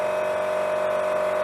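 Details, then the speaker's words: Used pellet stove, temporarily installed in a pole barn shop, running and putting out heat: the heat-distribution blower gives a constant whirring hum with a steady high-pitched tone. It sounds bad, possibly a worn fan motor, and needs looking into. "it sure sounds like the fan for blowing the stuff out of the heat out of the machine. Actually, the fan that's used to blow the heat off of the pellet stove sounds like it's bad, so we're gonna have to look into that, but so far it's running, so that's a good sign."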